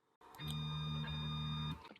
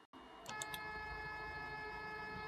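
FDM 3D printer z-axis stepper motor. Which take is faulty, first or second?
first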